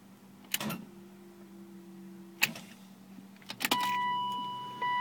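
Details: 1998 BMW E36 M3 supercharged, battery tested good at 12.9 V and 707 cranking amps: key turn gives only a few sharp clicks and steady dash chimes, no cranking; no-start, cause not yet found.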